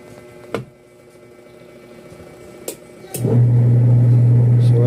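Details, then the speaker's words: Single-tub washing machine after gearbox replacement: a few clicks, then smooth even motor hum without the earlier grating noise; agitator drive sounds healthy. "smooth na smooth na ang dating wala ano kanina parang garalgal na eh"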